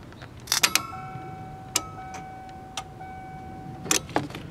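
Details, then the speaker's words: 1992 Ford Explorer (1st gen) that sat a long time: key on, relays click, fuel pump relay clicks off about a second later, no clear pump whir; pump not priming, owner suspects failed fuel pump. "I'll connect the battery you'll hear the relays click then about a second later you'll hear the relay the fuel pump relay click off"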